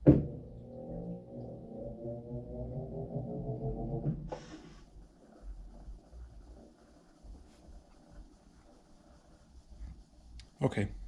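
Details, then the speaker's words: Samsung top-load washer stuck in Sense mode on quick rinse and spin: low motor hum climbs about four seconds, then a clunk as the clutch opens and the tub coasts instead of spinning; fixed by replacing the motor position (TMR) sensor on the clutch assembly. "so what's happening is as soon as it's sensing the load before it adds water on the rinse it senses first and then as the second time you can hear where it starts to spin and then just opens up the clutch and then just stays right there"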